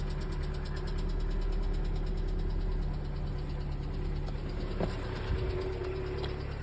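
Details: Lada Largus at idle: steady idle with a light, quick ticking on top at about three per second; noisy hydraulic lifter tapping.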